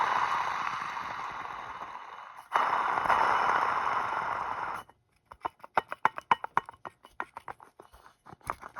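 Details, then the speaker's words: Removed water pump from 2007 Jeep Grand Cherokee CRD diesel (OM642), spun by hand: gritty scraping rumble fading as it slows, then uneven clicking; bearing rocky with tons of play, rough worn water pump bearing. "this thing is toast take a listen it is rocky and it's moving"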